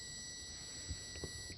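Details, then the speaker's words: Mopar E-body (1970–74 Chrysler) ignition switch on the bench, tested with a beeping ohmmeter, crank and position-2 circuits: a steady high beep holds about 1.5 seconds, then cuts out; normal continuity. "See, when I go to crank, it'll stop. That's when it's running. Now the brown should make noise."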